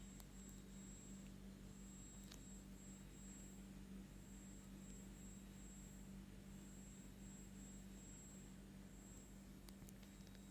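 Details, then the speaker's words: Brand-new Tecware Phantom 96 mechanical keyboard: faint, steady low buzz with a thin high whine whenever the LEDs are lit, loudest around the D key; the owner suspects an LED power control chip there. "after unboxing here we are buzzing noise from the keyboard I think it's from the LED light because the Sun is heard when the ladies light up"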